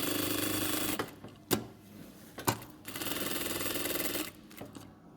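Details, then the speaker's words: Sewing machine after adjusting the feed dog (toothed rack) mechanism to fix a jerking, knocking bartack lever: two short bursts of fast, even stitching chatter, with no knocking or vibration. "проверяем нету никаких порон посторонних шумов ничего не вибрирует ничего не стучит машинка шьёт"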